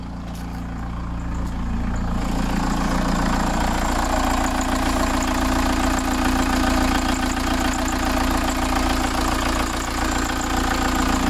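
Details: VW T3 van with TDI engine swap, about 1,000 km after swap, after oil and filter change with oil pressure built up: even diesel clatter at idle, steady rhythm, no extra knocking or hunting; idling normally.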